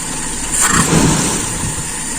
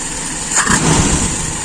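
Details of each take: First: Small engine carburetor, idle jet reduced and idle air mixture screw backed out five turns: two sharp throttle blips, idle sagging after each before recovering. Mixture possibly too rich or too lean; screw then closed one turn. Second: Small single-cylinder carbureted engine after enriching idle mixture and adjusting idle mixture screw: short burst of steady, even idle without stumbling or drop when throttle released; normal idle.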